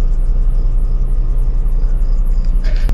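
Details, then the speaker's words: Washing machine that hummed but would not spin, now spinning: heavy, pulsing low rumble, loud from a slightly loose belt and worn gear. "lang maingay ito medyo maluwag na yung kanyang ah belt"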